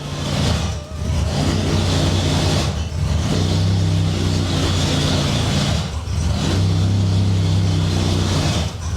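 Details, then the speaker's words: Jaguar XJS V12, first time running on its own after nearly two years off and a previous start that died instantly: deep, smooth note with revs blipped every few seconds, never stumbling. "It's running on its own. This is what I've been waiting for 18 months. Ever since getting the car. It runs! The XJS runs!"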